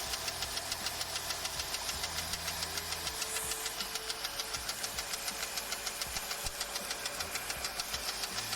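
Steady rapid ticking knock, about two per second, rides over a rough idle; a loud internal knock, cause unclear.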